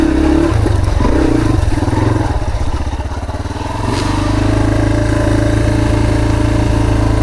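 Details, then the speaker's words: Owner's dirt bike during a trail ride, with ongoing maintenance issues and backfiring getting worse. Engine speed sags and climbs back within seconds and won't hold steady; the engine is surging and the cause is undetermined. "hear the RPMs up and down, up and down. It won't stay steady."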